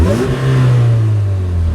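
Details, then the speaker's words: Supercharged Chevy Cobalt SS salvage-auction car: deep petrol engine blipped and held high, throaty rise with supercharger whine; healthy. "And listen, hold on, I don't want to piss off my neighbors, but listen to this. Hear that supercharger?"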